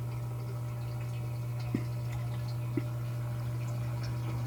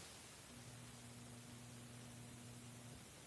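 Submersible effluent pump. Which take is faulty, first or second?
second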